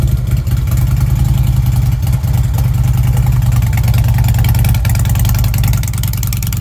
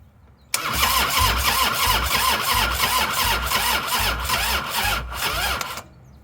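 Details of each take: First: Fuel-injected Harley Ultra: deep even V-twin lope at idle with a couple of mild throttle lifts; pulses stay steady and it runs cleanly. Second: 1998 Harley-Davidson Softail sitting since 2017, new ignition coil fitted, low battery: starter labours through even compression beats about three a second for five seconds, never catching; cranks but won't start, battery suspected.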